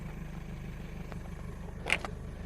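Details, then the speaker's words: Owner's car heard idling from a distance: uneven low putt-putt with loping beat; rough running, owner suspects needs tune-up, spark plugs or possible exhaust leak; battery over eight years old. "i think i need a tune-up you can hear my car from here like putt-putt putting i don't know if it's got an exhaust leak or"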